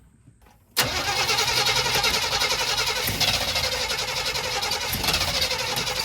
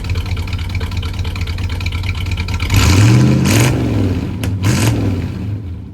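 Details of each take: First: 1985 Chevy C20 that sat 10+ years, after a new mechanical fuel pump, siphoned tank, new inline filter and cleaned carburetor: it catches quickly but idles low and slightly hunting. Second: 1985 Chevy C20 that sat 10+ years, with a new mechanical fuel pump and inline filter, not yet on its own fuel tank: even V8 idle, with clean throttle blips and no misses. Running normally.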